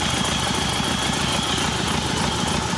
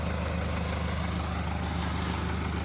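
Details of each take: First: Hyundai Santa Fe diesel, smoking, before repair: rough, uneven idle with irregular shake and stumble as cylinder 3 drops out, a misfire; oil leaking somewhere behind the engine. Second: Hyundai Santa Fe diesel brought in for cylinder 3 misfire, smoke and oil leak, after repair: even low idle with steady firing rhythm, no misses or stumbles, all cylinders running; turbo still to go to turbo service.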